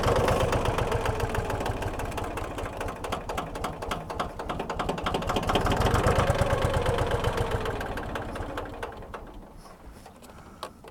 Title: Tractor won't start